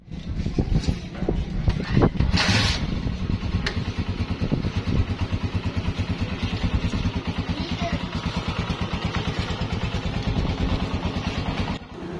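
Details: Honda CG 125 (2017, about 30,000 km) after low-budget engine noise repair with cam gear and piston rings replaced and tappets checked: even, steady single-cylinder thumping at idle, no ticking or clatter; smooth, healthy.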